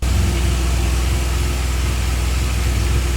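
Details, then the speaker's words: Rebuilt 2014 BMW R1200GS, start after radiator replacement and work to cure a backfire: a steady, even low idle with no pops, backfires or knocks, backfire gone, though the owner notes it is smoking and the ABS light is blinking. "So far, it sounds really good. It actually sounds really, really good. There's not an there's not a strange sound anymore."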